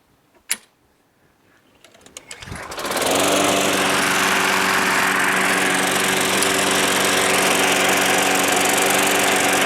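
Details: Small engine that sat all winter, primed about five times: after a few pulls it catches near 2.5 seconds and settles into a steady, even run with no misfire. Owner wondered if gas left in the tank overnight had affected it.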